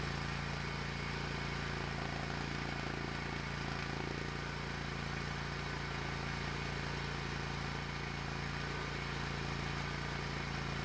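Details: Hustler Raptor SD zero-turn mower after a seat switch fix and battery recharge (it had died when moved and bogged when the mower was engaged); it idles steadily and evenly with no stumbling, bogging or dying, a normal idle.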